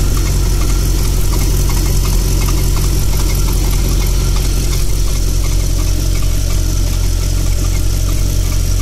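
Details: Audi Coupe V8 warmed to just over 70 °C: deep idle with a faint uneven ticking from low on the passenger-side cylinder head. The noise faded over time; source unknown.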